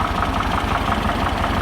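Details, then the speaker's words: A VW T2 camper's air-cooled 1600 (actually 1641) engine at a steady idle, with an even light valvetrain tick over a smooth throb. There is some sweating the owner has bodged, but it runs lovely. "Have a listen to the engine while we're having it. Make the video a bit more interesting. 1600. It's actually 1641. You get a bit of a sweat from here. I've obviously bodged that with some stuff, but it runs lovely."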